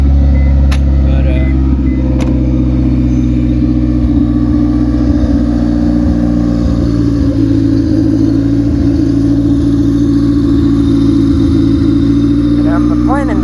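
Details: Car after MPFI fuel-injection swap, running on open header: loud, deep, even drone holding steady, raw and unmuffled but smooth; engine runs cleanly.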